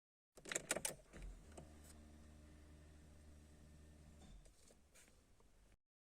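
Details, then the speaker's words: Peugeot fuel pump test at key-on: a couple of key clicks, then steady low hum with even whine for about three seconds cutting off cleanly; healthy pump priming. "vous venez de voir je viens d'effectuer un test afin d'entendre le fonctionnement de la pompe à essence c'est grâce à ce bruit que vous venez d'entendre que vous allez déduire évaluer le bon fonctionnement de votre pompe"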